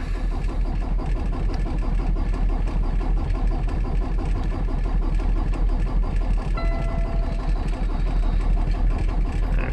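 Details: 2018 Peterbilt 579 diesel after about 48 hours parked, following shop replacement of priming pump assembly: steady starter churning at about three compressions a second for ten seconds, no firing. Engine light on; owner suspects no fuel prime; extended cranking, no start.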